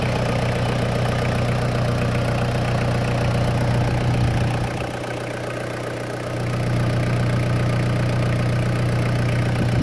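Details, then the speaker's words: 2000 Toyota Land Cruiser Colorado VX J95, 1KZ-TE turbo diesel, under the bonnet with the oil cap off showing some blowback: an even, steady idle clatter and low drone with a brief softer dip; a healthy idle with no smoke. "here we go we're in like an oily sewing machine blowback [Applause]"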